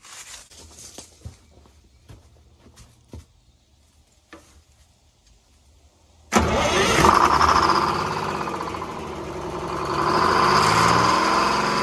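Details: 1970s Crane Carrier 10-wheel-drive truck, Detroit 6-71 two-stroke diesel, four stuck injectors freed and rack freed, first start without ether: catches abruptly and settles into loud steady idle with slight swell; coolant line leaking while running.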